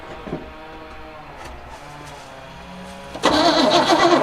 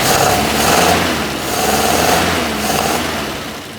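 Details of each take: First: 1976 squarebody farm truck sat 20-30 years, after improving battery cable connection: starter spins the engine steadily for about seven seconds but it never fires, no fuel getting to it; rusty tank. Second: 1976 Squarebody farm truck, first run in 20+ years: once the loose, bolt-missing carburetor is secured, the idle is gentle with a slow rise and fall, no misses or stumbles, and no warning lights. A normal idle.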